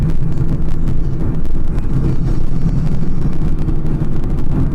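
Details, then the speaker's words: 2005 Honda Pilot, 294,000 miles, driven on rough farm roads after rear passenger-side repair on lift: only steady road and wind rumble, the earlier clunk-clunk over bumps behind the passenger rear seat is gone; suspension normal. "all the normal sounds I mean that car's got 294,000 miles on it so it's going to have some sounds it's definitely gone so that's good"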